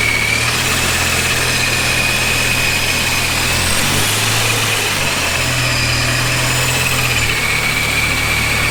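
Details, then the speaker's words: Dodge Viper V10 with newly installed supercharger, first start-up: steady even idle with constant high supercharger whine, no misses or knocks; healthy. "so uh the viper turned on as you guys saw and uh it sounds good everything's running smooth until it wasn't"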